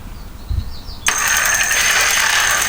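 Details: Car alternator used as an e-bike motor, driven by a PWM controller at about 12 volts with the throttle lightly touched: after a click, a steady high electric whine with a fainter mid tone comes up and holds even; the motor spins freely and sounds fine.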